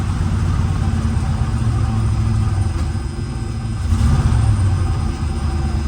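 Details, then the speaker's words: 1977 Lincoln Continental Mark V V8, first run after three years storage, known vacuum and exhaust leaks: lumpy uneven idle that throbs, sags, stumbles and misses, smoking heavily; rough idle, cause not confirmed. "Yeah, all right, cool. It's running. It's rough, but it's running. Yeah, she's a smoker. Definitely a smoker."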